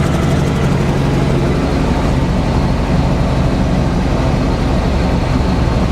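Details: 1948 Chevy 1-ton truck, 216 inline-six, at idle, heard at the exhaust pipe: low, steady, even rumble, no knocks or misses; runs really nice and smooth, healthy motor.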